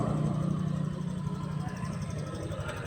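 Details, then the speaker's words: Honda Click 125 scooter that would not start, with lights flickering; three faulty switches were found (brake light, sidestand). The fuel pump motor is fine and there is no check engine light. A smooth, even putter of about three beats a second with no misses or knocks. Normal idle. "Bale walang problema yung kanyang fuel motor ano yung fuel pump motor. Ayan umandar na yung motor."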